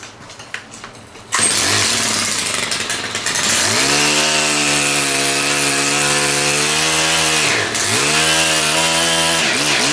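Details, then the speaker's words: STIHL KM130R split-shaft four-stroke engine fired up: holds a steady high buzz, dips briefly and picks straight back up; smooth even running, normal. "And let's fire this puppy up here, and I'll take you in and show you my attachments I got for it. Pretty much the same as that last one, but just a few more balls in her."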